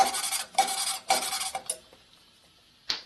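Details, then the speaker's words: 1980 Harley-Davidson Sportster XL Ironhead 74ci stroker head rebuild: rear head valve seat lapping with fresh compound, gritty harsh rasping strokes about twice a second. The compound is still cutting; keep lapping until the sound turns less aggressive and smooth. "You can tell when you're done lapping by how it sounds and how it feels. You can hear it when it's not so aggressive sounding. That means it's lapping compound wore down."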